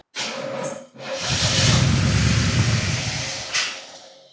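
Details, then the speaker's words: 1984 Corvette C4 with Crossfire Injection, parked over 20 years: fuel poured down the intake, short crank, then a rough roar catches for a couple of seconds and fades; starts on priming fuel then dies, seemingly thirsty for fuel. "Probably a little thirsty here to start. We'll try that."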